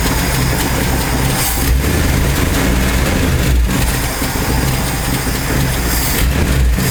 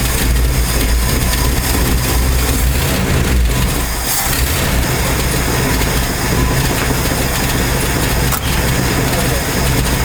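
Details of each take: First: 1968 Ford F250 with a 390 FE V8 and a new Pertronix Ignitor replacing the points, warming up after a flooded start: a deep, even rumble with no misses or stumbles. Normal warm-up idle. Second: 1968 Ford F250 with a 390 FE V8, newly converted from points to a Pertronix Ignitor: loud, uneven firing stumbles before steadying. Rough start because a missed install step left it not firing and the engine flooded.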